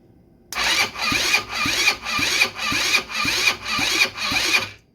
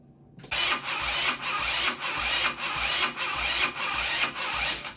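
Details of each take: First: 150cc GY6 short-case engine from Blade 150 UTV, previously seized after running without oil, cranked by jumper-cabled battery with spark plug in: even starter rhythm about two strokes a second, slowing on compression. Normal cranking compression. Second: Blade 150 / RZR170-clone UTV, 150cc GY6 shortcase engine, previously seized, being revived with oil added: starter churns in even pulses, about five compressions in four seconds, never catches; cranks but won't start, cause not confirmed.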